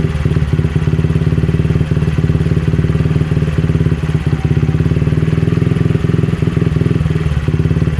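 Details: Honda CRF50 that had a pulsing idle, after replacing the bent, damaged throttle cable and the carb spring: small single-cylinder putter at an even, steady idle with no surging. Normal idle.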